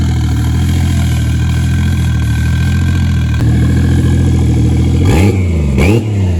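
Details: Toyota 1JZ-VVTi turbo six with new Tomei BX8280 turbo, after idle air control valve fixed: steady deep idle, no hunting, then two quick throttle blips; normal idle.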